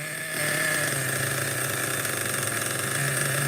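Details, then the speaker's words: Schumacher XTR-3E nitro stadium truck on first fire-up, engine very cold: small nitro engine buzzing at a fairly high, steady idle with even pitch, no stumbles or misses; idle relatively okay, normal cold idle. "so far the idle is relatively okay let's let it warm up a little bit very cold"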